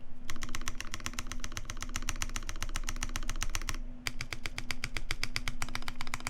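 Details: Normal typing on a custom Taeha Types x TGR keyboard with brass plate, GMK Olivia keycaps, Vintage Black housings with Nixie stems, Krytox 205g0 lube, 72g springs, lubed and clipped GMK screw-in stabilizers: quick, even clacks with firm thock, no rattle.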